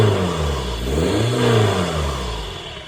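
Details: VW Touran TDI diesel after swapping a faulty reconditioned turbo for a scrapyard one to fix a boost problem: a short rev rises smoothly and settles back with no turbo flutter or whistle; running normally.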